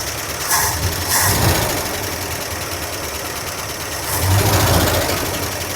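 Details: 1976 Dodge D100 Club Cab Adventurer pickup, about 50 years old, first start after 13 years parked: rough idle with loud, fast top-end clatter rising with revs; zero oil pressure; owner suspects bent pushrod or bad lifters.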